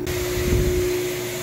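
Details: Lochinvar boiler firing with a loud steady whistle over the blower hiss, caused by a major combustion air intake restriction. Unsuitable damper flaps were being sucked shut; a plugged air filter was first assumed.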